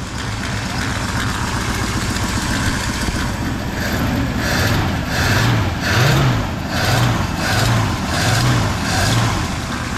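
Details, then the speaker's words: 1959 Oldsmobile Dynamic 88 that sat for years, cold start with the choke set fully shut and dumping fuel. It fires up and settles into a deep, steady burble with no knocks or stumbles; normal idle. "yeah it's uh it's dumping fuel what fired right up there it is cleared it out Mr reliable Gus up there"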